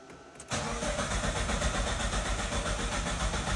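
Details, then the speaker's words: Mitsubishi Lancer 9 after an ECU reflash to Euro 2 emissions: the starter churns steadily with no firing. The car's immobilizer was originally disabled, and the new software expected it, so the engine won't start. "не заводится попытка номер два продолжаем не заводится попытка номер два"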